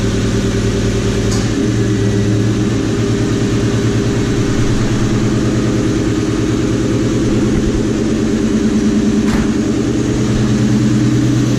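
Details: Car with a repeatedly leaking exhaust X-pipe, about 45 minutes after sealant was applied around it: deep, even idle drone with no sharp pops or ticks; the exhaust sounds sealed and quiet.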